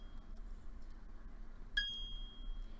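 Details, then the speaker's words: Jeweller's saw blade tensioned in the saw frame, flicked: one crisp, high ringing ping that sustains briefly, showing a correctly tensioned blade. "oh that sounds great and you want a nice high-pitched pinging sound so that's what you want"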